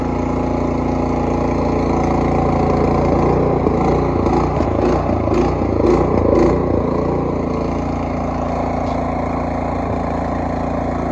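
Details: Cub Cadet 3X 26-inch snowblower that wouldn't start after last winter, running after the oil change and fresh gasoline. Steady, even single-cylinder beat with a brief rise in revs midway, then settling. Sounds healthy.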